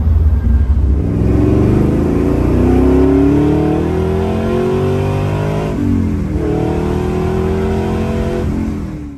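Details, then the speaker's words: 1969 Camaro with an LS3 on Holley EFI, air ride, street drive after fixes for stalling and start-up/idle problems, coolant temps good: deep V8 pulls cleanly, revs climbing evenly with a shift near six seconds, no stumble; now drives normally. "I can tell you it's already driving better because it was stalling out left and right when it rolled up and now it's driving very normal coolant temps are staying good"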